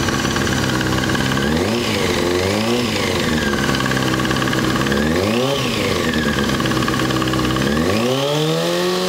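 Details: Honda F4i four-cylinder motorcycle: light ticking at idle, blipped three times; it still ticks after replacement with a new OEM cam chain tensioner, and the cause is unknown.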